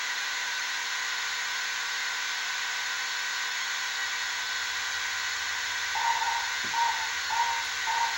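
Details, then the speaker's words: 1978 Bally Midway Sea Wolf II arcade PCB under repair, 3900s replaced, two-player mode after firing: steady hiss-like rush nonstop over a low background buzz, faint tones chirping near the end; missile/torpedo sound seemingly stuck on, cause unconfirmed. "got a buzz in the back and then we have it sounds like the uh the missiles of the torpedo sound is like stuck on maybe"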